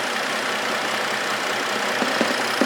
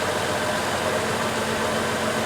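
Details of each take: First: 2004 Trailblazer engine with NGK iridium plugs, once smooth: uneven idle with irregular stumbles, about two or three a second, engine visibly rocking; a misfire, cause not found, owner thinks probably not the plugs. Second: 2004 Chevrolet Trailblazer engine idling steady and even with a smooth hum, no stumble or miss, after a misfire and rocking engine traced to a wet spark plug and fixed by replacing the ignition coil.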